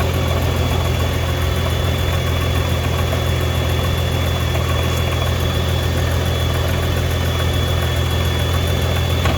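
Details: 2015 Nissan GTR R35 at idle, felt through the seat: steady low idle with a faint, uneven rattle or occasional clunk on top; owner suspects gearbox, clutch or exhaust, source unconfirmed.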